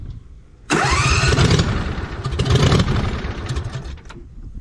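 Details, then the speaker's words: 2007 John Deere Z425 zero-turn with replacement Briggs & Stratton engine, first test run after fresh oil, muffler not yet fitted: catches at once into a loud, sharp but even unmuffled bark; healthy running. "gonna be a little loud too because the muffler's not on yet"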